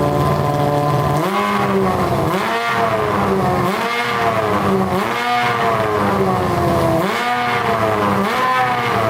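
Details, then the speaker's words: Honda CBR600 inline-four engine in a custom go-kart, on a gravity-fed gas tank: repeated clean rev blips climb and drop back with no stumble or popping. It revs out fully and all cylinders are pulling evenly. "we're getting closer it's uh sounding pretty good it revs out all the way too i think all the cylinders are running now though man sounds pretty good"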